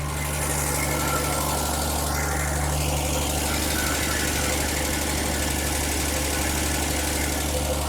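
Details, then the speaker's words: Ford Falcon, first run since 1991, at idle: faint dry rumble and uneven knocking about three per second under the engine noise; bearing suspected, owner thinks likely a failing water pump. "Now, there's a little bit of a noise on it and I can't figure out what it is. It sounds like a bearing or something, but could be the water pump."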